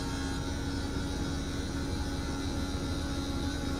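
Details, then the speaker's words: Norco Industries RV slide room retracting after lifting the room to fix jerky operation, cable tension still to be adjusted; steady even motor hum and low drone with no skipping or popping, rolling smoothly on its rollers. "See, it's no longer skipping and popping. You can hear the rollers. It's rolling on those rollers."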